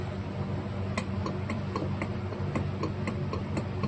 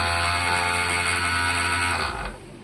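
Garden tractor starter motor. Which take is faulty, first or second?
first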